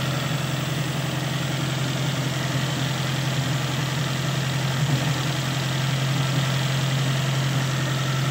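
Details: Toyota engine that would not start, fixed by sealing a vacuum leak at a hose: steady even idle with smooth low hum, no stumble or hunting; running properly.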